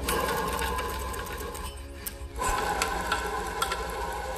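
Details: Junkyard Datsun 240Z during engine and transmission removal: a rough, gritty rattle at about three clicks a second as the part is spun by hand. The bearing is worn.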